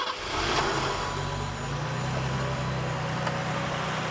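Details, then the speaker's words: BMW E12 528i with L-Jetronic petrol six idling steadily and evenly, no knocks or misses; old hoses, cracked intake boot, a vacuum leak, and clutch fan seemingly stuck on. "oh yeah listen to that baby purr"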